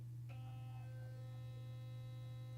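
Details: Sonicare HealthyWhite+ HX8911 toothbrush run again to check the timer: steady low buzz holding an even pitch and level throughout; normal running.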